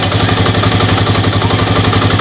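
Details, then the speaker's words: Old Yamaha Vixion that had rough kletek rattle and lost power when hot, after repair with machined/reworked parts: steady, even single-cylinder idle with regular beat and no knocking or clatter on top; engine now smooth. "udah halus HPnya ini udah oke"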